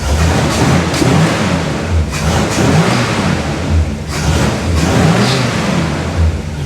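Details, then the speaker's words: 1968 Pontiac Tempest Custom convertible, choke opening as it warms: deep clean revs rise and fall smoothly with each throttle blip, no knocks, misses or stumbles; normal free revving. "She sounds real good."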